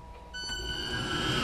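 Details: Homemade 18-inch-contact knife belt grinder with 10-inch drive wheel on a 2 hp 220 V AC Tech Lenze MC1000 drive with DC injection braking: clean electronic whine as the motor ramps up smoothly, no rubbing or knocking; normal start.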